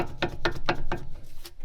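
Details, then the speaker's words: Volvo V70 (early model, daily driver), car raised: driveshaft rocked by hand gives four sharp clicks about four a second, then one more; other side sounds the same, no noise when driving, driveshaft bolt already tight; owner unsure if normal. "Should it sound like that? Like, should this sound like this? And should the drive shaft sound like this?"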